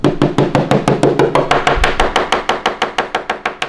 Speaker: and so when there is a bus track all the part there is you know a delamination of each part of uh fiberglass and uh oncom. So when you do aspection that's the sound that you hear.